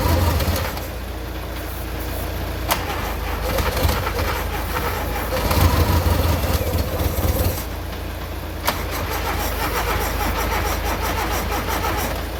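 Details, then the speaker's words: VW Golf Mk2 petrol unrun for 20 years, about -2°C, fuel had been escaping, fuel fed manually with supply pulled: long uneven cranking with stumbling surges before barely catching; hard start. "Yeah, so obviously all the fuel was escaping in down here, and that is why the backing thing was so hard to turn over."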